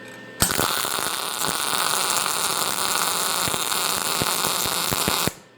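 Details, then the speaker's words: MIG welder on sheet metal, heat setting G, wire speed 3: steady, even frying-bacon crackle with only a few pops, the sweet spot for correct arc settings. "We found the sweet spot."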